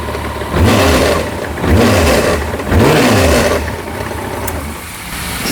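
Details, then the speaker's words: Kawasaki ZZR1400, about 28,900 km, after owner's engine flush: loud metallic rattle from clutch side, much louder with clutch lever pulled, revs rising and falling; loose clutch bearing stopper, dented clutch basket. "the Ratt sound inside the engine when you pull the clutch it's really huge"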